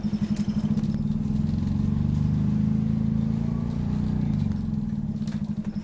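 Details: Optare Solo bus (YJ12GVR) on route 309, onboard diesel with uneven buzzy throb about four pulses a second, rising and falling; squeaky, motorbike-like sound, suspected slipped gearbox; cause unclear.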